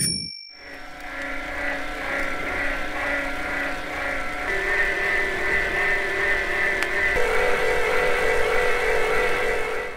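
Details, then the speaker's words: FAZUA e-bike drive in a sound-power measurement test, no tyre or wind noise: smooth, clean whine that rises in pitch and loudness as cadence increases, with no grinding; the motor runs normally. "nettement le moteur, qu’il devient plus bruyant lorsque la cadence augmente, mais c’est un son très agréable en fait."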